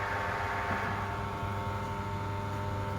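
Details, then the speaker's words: Lathe with thin bar stock being trued in the chuck by pressing a bearing against it; ticking stops and it settles to an even, steady motor hum with no knocking as the work spins true; normal running. "you'll hear a little ticking obviously as it hits and misses and eventually the bearing should just run around nice and smoothly which it's doing now"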